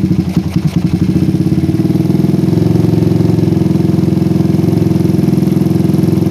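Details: PE24 carburetor after moving the needle clip from the middle to the top, with the air screw now about 1 to 2 turns out. It is briefly uneven, then settles to a steady, even putter; the idle is normal and much better than before.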